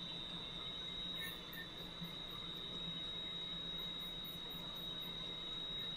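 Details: Valve grinder refacing a valve face with lubricant flowing, stone run back and forth: thin, steady high squeal holding even as the wheel passes over the valve face; normal grinding, nothing wrong.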